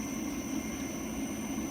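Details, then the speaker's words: Filter cart pump started at low speed (range 0–15 gpm): a steady rushing hiss with a faint high whistle, which is pump cavitation. The fix is to turn the speed up until the noise stops. "Turn that up until you do not get that noise, which is cavitation."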